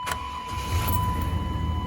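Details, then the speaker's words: 1998 Chevy K1500 5.7L Vortec V8, 300,036 miles, after replacing distributor cap and rotor: catches at once and holds a smooth, even idle under a steady chime; previously cranked without starting, now starts and runs normally. "starts right up now before it would just crank and crank and crank and crank and crank never start so that was it that was the um the rotor and the rotor cap"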